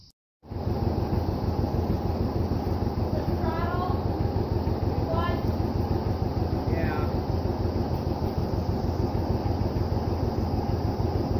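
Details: Vintage John Deere 720 two-cylinder diesel tractor running after head gasket repair: slow, even putt-putt of about three firings a second, steady with no misses or knocks; healthy.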